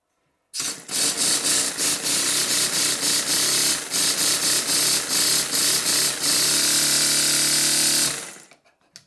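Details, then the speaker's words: Stuart Double 10V model steam engine after both slide valves were made identical in size: quick, even chuffing about four beats a second with matching exhaust beats; both cylinders giving about equal power, running balanced. "now that the slide valves in each of the valve chests are identical in size the power output from both of the cylinders is about the same"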